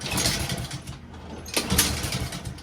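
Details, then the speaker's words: Honda-powered Husqvarna self-propelled lawn mower: small engine fires, runs ragged a few seconds, sags and cuts out; starts but won't stay running, carburetor cleaning planned as fix. "so it starts but won't stay started"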